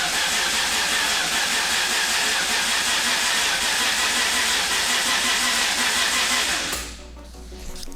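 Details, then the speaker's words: R32 Skyline GTR with a single-turbo RB26 and Link ECU, first start attempt after the build, crank angle sensor just plugged in, flush oil fitted: starter cranks steadily, about three pulses a second, for nearly seven seconds but won't fire; cause unknown. "and not doesn't even want to try to go we'll be back all right so not entirely sure why it won't fire"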